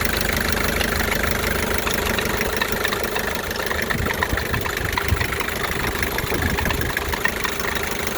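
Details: 1984 Isuzu P'up diesel idling with a loose, uneven knock, roughly two a second, mixed into the diesel clatter. Abnormal idle noise of unknown cause.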